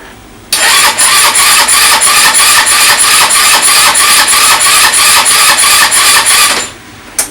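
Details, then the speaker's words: Chinese 150cc scooter (157 engine), rebuilt after zero compression with new piston and valves; morning after reassembly the starter cranks slowly, about three labored beats a second, never catching, as the battery is too weak to spin it. "хоче за слабо нагон покрутити"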